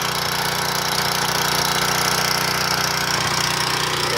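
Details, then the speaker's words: Portable gas generator before carburetor replacement, with the old gunked carburetor and oil dripping; the engine drones unevenly and laboured, hunting because it can't govern itself, and output is only about 115 volts. Carburetor is badly worn. "we'll kick this thing on you listen to it you here struggling it can't seem to govern itself because the carburetors in such bad shape"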